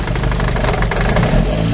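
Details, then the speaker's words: Ford ST170 with GSXR750 individual throttle bodies and ME221 ECU, solid flywheel and unsprung clutch, at steady raised idle with a firm, even beat; low-idle gearbox clunk is absent once idle comes up. "That banging noise is the it's because I've got a solid flywheel, so the gearbox clunks around a little bit because I'm not even running a sprung clutch when the idle's low."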